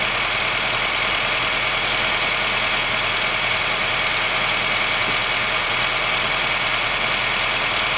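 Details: 2013 Honda Fit Hybrid (FIT3, DAA-GP5, L Package) squealing below about 10°C; continuous, even high-pitched squealing chirp over the running engine. It disappears once warm; dealer saw no error warnings, judged it harmless; cause unconfirmed.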